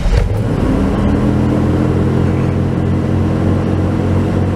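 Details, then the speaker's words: 1996 Chevy Tahoe, idle already around 1200 rpm, rpm surges when shifting into gear; just reassembled after throttle body/Idle Air Control work: steady fast unchanging hum, no hunting, idle even worse than before; IAC or TPS suspected, cause unconfirmed. "how's that it's even worse well that's really interesting how is it possible it got worse"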